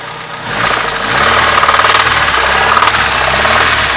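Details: Nissan SR20DE engine: fast, uneven ticking knock about three to four per second over a busy idle; camshafts and bearing caps in place, no visible cracks under valve cover, cause not found.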